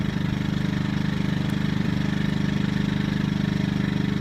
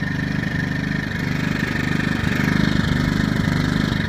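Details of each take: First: Yamaha EF2000iSv2 generator at low idle, no load: lean miss disappears with choke pulled slightly out, running evenly with steady low pulsing; miss returns when choke is pushed in. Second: Yamaha EF2000iSv2 inverter generator at low idle, no load; steady whine with a chugging lean miss stumbling roughly every second, which goes away with the choke slightly pulled and under load; owner wonders if the exhaust is plugging up.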